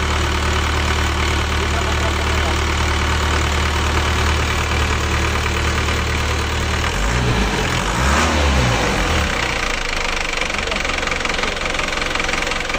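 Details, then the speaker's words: Isuzu Elf diesel after in-frame replacement of two cylinder liners for blow-by, just restarted after reassembly: an even idle with a steady low rumble and a short rev midway, no knock; smoother than before, possibly from firmer compression. "Kita merasakan suara mesinnya kayaknya lebih halus daripada sebelumnya. Ini kayaknya lebih halus sekarang ya."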